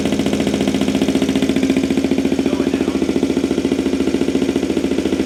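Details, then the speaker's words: 2023 Benelli TNT 135 on first cold start after a DCR cam and custom ECU tune install: fast, loud, even idle sitting much higher than expected; cause not yet pinned down. "You hear how high the idle was? I mean, yeah, it was loud."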